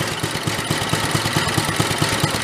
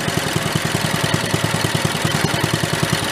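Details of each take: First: 1965 Chevy Corvair Monza go-kart, new small engine idled as low as it will go: low, lumpy idle about four to five thumps a second, uneven beats with popping, near stalling; stumbling idle with popping. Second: 1965 Chevy Corvair Monza go-kart, new small engine with stock muffler, idle set slower: slow, even putt-putt about three beats a second, no misses or knocks; normal slow idle.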